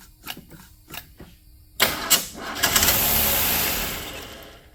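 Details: 1979 Mustang sitting since 1991, just after a carburetor swap: isolated clicks, then uneven starter bursts and a fading whir with a door buzzer behind; erratic cranking, cause suspected, not confirmed.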